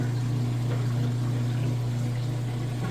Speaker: then once it's done draining it'll kick over to spin to extract all the soapy water before it fills up with fresh water from the rinse cycle